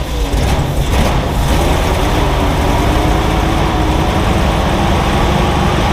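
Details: Jeep CJ-7, fed fuel into the carburetor in cold wind. Heavy, lumpy idle with uneven stumbles and one cylinder dead. Misfire from a disconnected spark plug wire.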